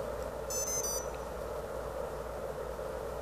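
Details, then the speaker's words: ESC on BLHeli 13.2 with Baseflight flight controller, powered by battery: three rising startup tones then no arming beeps; delayed PWM signal leaves ESC stuck in bootloader, motors won't spin. "and notice that that you're not hearing the second set of beeps coming out"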